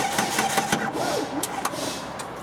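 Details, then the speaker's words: 2004 Jeep Grand Cherokee no-start during crank sensor testing: uneven labored cranking that drags and fades before catching, jump pack flat despite supposedly being charged. "can't do it it's time for a new jump pack Pete why we never charg it up Danny said it was fully charged"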